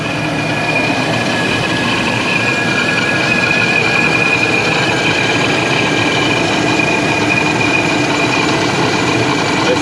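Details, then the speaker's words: Stock Chevrolet Silverado 4.8 V8 after Procharger supercharger install, retuned for bigger injectors and boost timing, first start on lift: steady, even idle with faint high blower whine, no misses or knocks; engine running healthy. "Smooth out though. I call that success. Great success."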